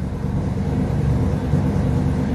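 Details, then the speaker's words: Big V8 idles with steady even low rumble and no ticking; valvetrain healthy, normal idle. "sounds like they fired up a power wagon um thank you Mopar Joel for that heads up on that I don't hear no ticking from in here in the office"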